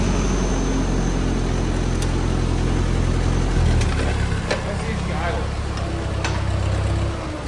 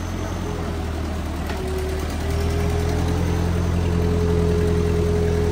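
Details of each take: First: Old Ford tractor restarted after clutch linkage adjustment, clutch worn and PTO tested: low, even engine throb holding steady with no knocks or misses; runs smoothly "like a sewing machine". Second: Old Ford tractor idling after clutch linkage adjustment, before PTO and 3-point lift test: thin steady whine over the engine rising slightly under load, pointing to the hydraulic pump; low fluid suspected, not confirmed.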